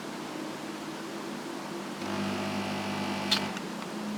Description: Daikin Emura indoor AC unit makes a loud buzzing noise every 15-30 seconds.